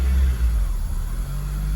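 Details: 2002 Acura RSX Type S, K20 engine, warm after a few minutes: idle hunts and surges, rising and dipping unevenly with no throttle; idle air control valve stuck open, letting in extra air.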